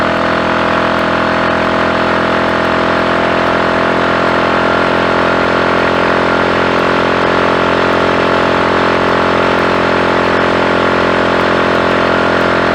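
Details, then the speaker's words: Triumph Tiger Cub single at full throttle, warmed up, nearly 60 mph, after new carb slide, needle and jets and a plug gap cut from about 25 to 20 thou: steady clean high revs with no misfire. Plug still black but dry. "That went well. No misfire. We actually had the speedometer needle just about to clip 60 there, which is the most I've ever seen it get up to, flat up, with all my bulk, and this also on the back."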